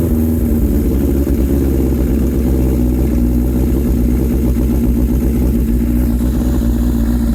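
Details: Suzuki Katana, just-finished build, idling: loud, even idle with a steady low beat that never stumbles or misses; engine is running smoothly and healthy, normal idle.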